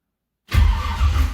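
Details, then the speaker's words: 1978 Ford Courier after fitting a new HEI ignition module and rewired connector, no fuel in the carb: starter spins the engine with a steady, low, even churning, no grinding or hesitation; cranks and sounds healthy. "Okay, it turns over and it sounds healthy."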